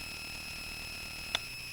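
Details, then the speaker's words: Touch Board playing its recorded voice tour: constant high-pitched electrical whine and hiss on the audio output with one sharp click, worse while the voice plays; cause unknown. "all right you can hear the noise it gets even worse when she talks"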